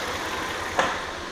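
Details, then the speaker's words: 2001 Audi A4 Quattro with misfires on cylinders 1, 2 and 3 on bank 1, with oil in the spark plug wells suspected: uneven idle with a sudden stumble partway through; rough idle with misfires. "But you can see that the engine is not running right. It's rough."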